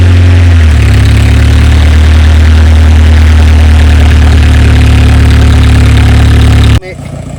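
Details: An old-model Mahindra diesel pickup, unstarted for what seems over two years, was cold-started with extra diesel added. Loud, steady low thrum at about four beats a second, even until it stops; it idles healthy.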